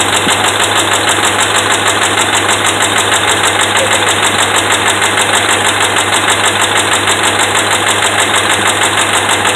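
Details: Dodge Ram 5.7 Hemi with bad connecting rod and crankshaft bearings, at idle: steady idle with a hard, even knock about 76 a minute.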